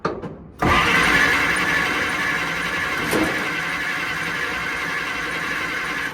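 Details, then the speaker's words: 1940 Dodge VFA32 winch truck, 85-year-old engine with Zenith carb, first start: engine catches and settles into a steady, slightly coarse tractor-like run; runs fine. "It's pretty cool. It sounds like a freaking tractor, but um not so much as a pop."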